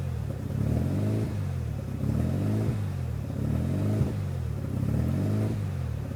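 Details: 1993 RHD Mazda RX7 rotary with newly installed Power FC ECU (wires not cut): low idle surges and sags about every second and a half, never settling; rough idle, not running clean.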